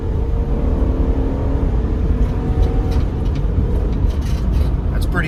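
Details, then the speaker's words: 2004 Honda Odyssey 3.5L J35A after burnt valve, head gasket, mounts, water pump and timing belt repair, test drive from standstill: strong smooth pull, steady rising note, clean smoother shift, no knocks or misses. "i don't know this girl hasn't sounded this good in a long time it's really made a big difference it's shifting smoother"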